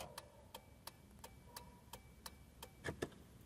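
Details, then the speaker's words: Car after replacing the hazard switch, which had caused turn signals not to light and a constant dash light: crisp even ticks about every third of a second in quiet cabin; flasher normal, fixed. "Direita. E o próprio pisca-alerta. E tudo funcionando."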